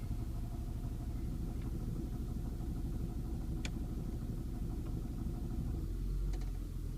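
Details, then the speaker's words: 2006 Saturn Vue petrol engine idling with a loose, uneven low rattle mixed into its rumble, cause unknown; noise goes away as soon as the throttle is touched. "don't know if you can hear the weird noise on this Saturn View sounds like something's rattling"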